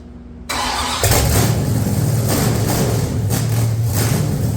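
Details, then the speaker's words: 1969 Plymouth Road Runner project, 440 big-block fired up on the engine stand: cranks, catches and settles into a deep, slightly uneven loping idle; runs well, normal lopey cam idle. "it runs pretty well so I don't think it flattened it out I think we did it's got a rump it does have a rump"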